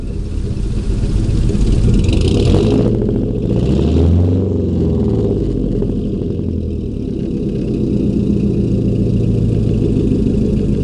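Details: 2000 Chevy 4.8 V8 truck lightly revved with four coils deliberately unplugged, misfiring on four cylinders; revs up and drops back with a lumpy, uneven beat and a hollow note.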